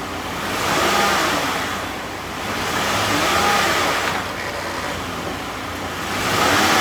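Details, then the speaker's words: 2012 Chrysler Town & Country, 186,000 miles, after new transmission shift solenoid pack, fluid and filter, stepped through the gears with wheels turning: hum swells and eases smoothly, no clunks or slipping flare; transmission working normally. "So now we're going to test her through all the gears, make sure everything seems to be working better than it was, although it's going to be difficult to know until we actually put the wheels on it and get it out the door."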